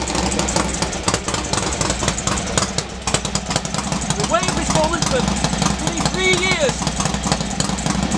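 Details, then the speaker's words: Norley cafe racer air-cooled twin, first start after three years, after clutch slave cylinder rebuild: steady, even idle beat under some clatter, a bit smoky, possibly from oil injected down the bores when the heads were fitted; healthy. "at last we can hear it Ashley running as I say a bit smoky but err that's possibly because when I put the heads on I did the inject some oil down the bores"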